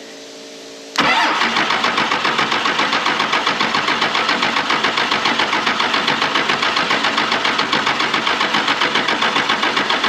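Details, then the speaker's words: 1996 Dodge 2500 with a 12-valve Cummins diesel, sitting 15 years, cranks at a steady chug of about four beats a second but never fires; injection lines cracked and no fuel delivered because the lift-pump clamps wouldn't let it suck fuel up and it leaked. "so I had to update my clamps on my lift pump here the ones I had to not letting it suck the fuel up and then it was leaking all over the place"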